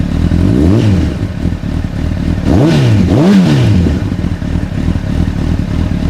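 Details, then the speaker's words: Rebuilt 2006 CBR1000RR with 22,995 mi, smoke burned off and no leaks: engine revs but the exhaust beat stumbles unevenly, as if not running on every cylinder. Misfire; owner assumes low fuel, unconfirmed. "Very good sounding bike, that's for sure. It's definitely stuttering. It feels like it's not running on every cylinder."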